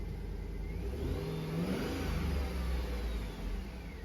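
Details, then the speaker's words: 2013 Chevy Tahoe with a crank-no-start, with the fuel pump control module (FSCM, P2635) temporarily bypassed: the engine revs cleanly and settles with steady, even firing. The fault was corroded wiring plus a bad FSCM. "So now with that module completely bypassed, temporarily of course, engine runs actually quite well."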